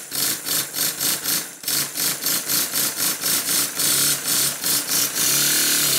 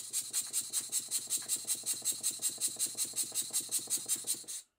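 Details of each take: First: Model steam engine testing the first cylinder after its slide valve was corrected to the right length: crisp, even exhaust beats at about four per second, then a steady hiss as it speeds up; runs smoothly. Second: Model steam engine while the eccentric sheave timing is adjusted by rotating the flywheel, engine on Scotch-Brite off the soundboard: quiet, hissy beats about 2.5 per second, slightly uneven; eccentric timing still slightly off.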